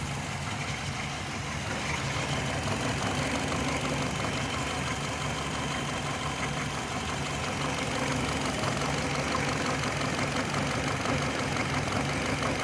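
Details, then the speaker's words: 2005 Hyundai Matrix with code P0302 (cylinder 2 misfire) and an intermittent check-engine light: uneven, stumbling idle. Plugs in cylinders 2 and 4 were white, 1 and 3 black. Fixed by injection corrections. Cylinder misfire, rough idle. "Hyundai Matrix, año 2005. vehículo viene porque tiene mis fire, así que vamos a iniciar el diagnóstico."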